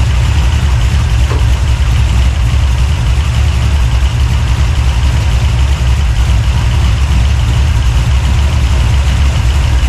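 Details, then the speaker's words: 383 stroker small-block V8, freshly built and swapped into a 1970 Monte Carlo, at first fire-up in the car: deep, loud idle with an uneven, choppy lope a few beats per second, no knocks or rattles; normal big-cam idle. "Got it bad. Love that chop."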